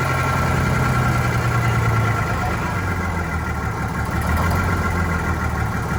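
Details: Vintage diesel bus on a very cold day, low uneven idle with a wavering, lumpy beat and no steady rhythm; rough running after re-priming, clear fuel-line section full of air, suspected air in fuel.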